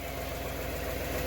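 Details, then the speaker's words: 1996 Ford 5.0 V8 from a Bronco, test run in the shop with an exhaust hose run outside, pulley damaged but harmonic balancer fine: steady, even burble with no knocks or misses; normal idle. "So with that being said, kid, fire it up. Motor runs pretty good. Now we got it running."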